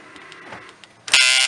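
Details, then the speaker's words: 2010-up Dodge Caravan sliding side door lock actuator removed from the door and plugged back into power: short, thin, high buzz of about a third of a second; actuator motor is bad and must be replaced. "That piece right here has to be changed. This motor right here is bad. It has to be changed out."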